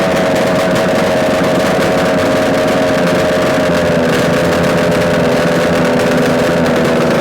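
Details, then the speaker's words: Yamaha RD250 two-stroke twin on a test-stand mount with total-loss ignition, idling after coil wire swap and carb adjustments; even, crackly idle at steady pitch, no knocks, rattles or dropouts; normal, likely a good engine. "so everything uh as I can tell right now it's running okay it's not making any mysterious noises so it's more likely a good engine"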